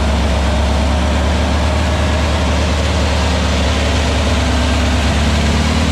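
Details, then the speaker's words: New VW Beetle 1679cc single-port flat-four with Scat C25 cam and dual Empi ITC carbs during its 20-minute cam break-in. A steady, even low rumble at fast idle has no knocks, ticks or misses. The break-in succeeded and everything is good; carbs still need tuning. "So, success. Everything's good. So cam break-in went well, everything's good."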